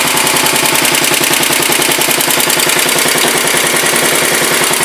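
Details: 1967 Sears Suburban 10 garden tractor, small single-cylinder petrol engine, first start after repairs on a freshly charged battery: crisp, even popping beat about three per second, smooth healthy idle; idling too low was found to undercharge the battery.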